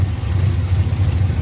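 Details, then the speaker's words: Truck with a freshly swapped replacement engine with a stage 3 cam, air hiss found with the MAP sensor unplugged, tune off: lumpy idle with an unevenly wavering rumble; runs rough, much better once the MAP sensor is reconnected. "Yeah. The map sensor not being hooked up might make it run weird."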